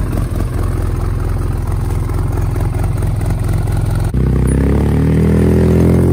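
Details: Polaris RZR after head gasket replacement: starts with a busy clatter, then settles into a steady, even idle with no knocks or misses; running properly again.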